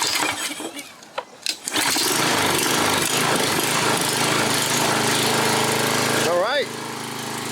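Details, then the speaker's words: 7-year-old Craftsman 28-inch walk-behind mower, left out over a year, after repair: fires after a few pulls and settles into a steady, even high-speed drone with no misses while warming up; 3240 RPM measured, sounds good. "3240, that's a good RPM. It sounds good. Not bad."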